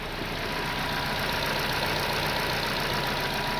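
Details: 2024 Toyota Corolla after replacing three failed injectors (only one cylinder was working properly; spark plugs and coils already checked and swapped): even steady idle with soft regular patter, no stumbling, running on all cylinders.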